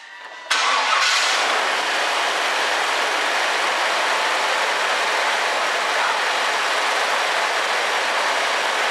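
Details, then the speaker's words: 1999 Chevrolet Suburban V8 after replacing clogged fuel injection unit and refitting air intake; short crank, catches at once, holds steady even idle with no stumble. Runs properly now. "awesome that runs great now we'll see if it goes into gear"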